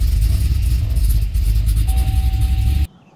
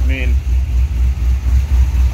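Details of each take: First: Gen 1 Cadillac CTS-V V8, started cold after sitting about two years; settles into an uneven, lumpy low rumble that never smooths out, a rough cold idle. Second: Cadillac CTS-V (gen 1, LS V8, healthy cam), about 82,975 miles, heard from the rear through what are thought to be rusty Flowmaster mufflers: deep, even, lumpy burble with steady low pulses, fairly quiet, no misses or ticks. Normal V8 idle.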